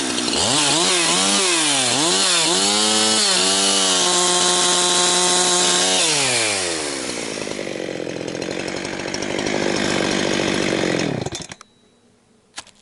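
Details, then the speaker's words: Husqvarna 362XP Special chainsaw cutting firewood with a wrong ignition coil fitted: at wide open throttle it bobbles and gargles, pitch wavering well off its RPM range instead of a clean scream, then bogs in the cut; misfire from wrong coil. "YEAH, that is very frustrating to uh have something that's uh bobbling around and gargling like that. Like I say, maybe it won't you pro you folks probably can't hear it on the on the camera, but uh definitely in person here, I can feel it's off RPM range quite a bit."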